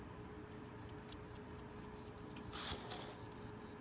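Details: WD hard drive plugged in after being dropped, not recognized by the computer; a train of short, evenly spaced high beeps, about two per second, as it fails to spin up; cause suspected but not confirmed.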